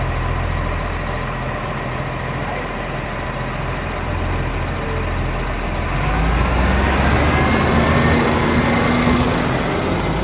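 Rough diesel idle with a rapid, fairly even puffing, about four a second, that rises when revved; sounds like a leaking exhaust. Cause suspected, not confirmed.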